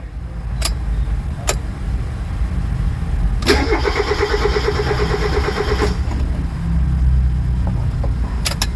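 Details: Mazda Miata MX5 NA, towed in as a non-runner, cranked after the battery was replaced: the starter churns steadily for about 2.5 seconds with even compression pulses but never catches; crank no start, cause not yet diagnosed.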